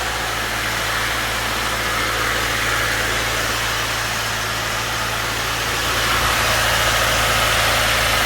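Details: 2017 Subaru Levorg 2.0GTS just after DIY oil change (about 5 litres), engine recently started: smooth, steady idle with even low hum, no knocks, ticks or misses; healthy.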